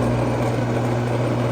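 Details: Bosch AXT 2200 garden shredder, after cleaning and reassembly, running in forward: steady, even motor hum with a firm low tone and no knocks, rattles or grinding. The motor runs smoothly.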